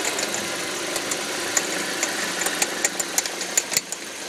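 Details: 2005 Audi 1.8T, in gear under load: irregular sharp popcorn-like ticks, about a hundred a minute, over quiet engine hum, seemingly near the alternator; no check-engine light or oil pressure errors; owner wonders water pump or alternator, unknown.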